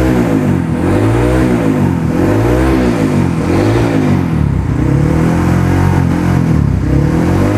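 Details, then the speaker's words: Honda CRF150L modified with bore-up, forged piston, reamed throttle body, TPS, camshaft, valves and springs, full gear ratio: clean smooth revving, no knock or rattle; normal. "yang kalian bisa dengerin mesinnya nih mesinnya kem yang kita modifikasi semuanya halus normal dan Mantap ya"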